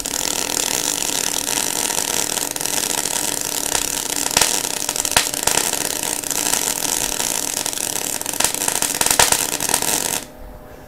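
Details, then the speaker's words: MIG welder arc with harsh frying hiss broken by sharp pops and spits, caused by holding the torch too far back with too much wire stick-out. "it's because i held the torch too far back what i did is i had too much stick out like i was holding the torch back here"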